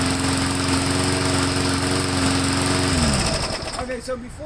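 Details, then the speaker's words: Lawn mower run right up until it was replaced, steady buzzing pitch then revs sag and wander, engine hunting and surging; clogged air filter from very dusty, dirty use suspected, not yet checked. "before I do anything, I'm going to pop this air filter off and see if it's clogged, because it is surging and, you know, hunting a little bit, and it almost sounds like the air filter might be clogged."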